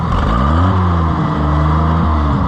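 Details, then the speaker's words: Oliver 880 tractor after timing adjustment: engine pitch climbs, then sags and stumbles before picking up when revved from idle with choke fully in; hesitation eased by leaving choke slightly out; cause not confirmed. "But I can shove it in at idle and it's pretty good, but as soon as you rev it up with no choke, it popped. Of course that time it didn't do it, but there, see, your little hesitation."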